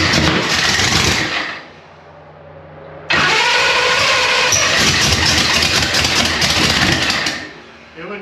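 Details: Race car's first start after a week of work, oil pressure built first and then ether used because the fuel rail was likely dry. The engine catches, stumbles and dies, then refires into an uneven, hunting idle. Suspected cause: coolant temperature reading zero, making it add too much fuel.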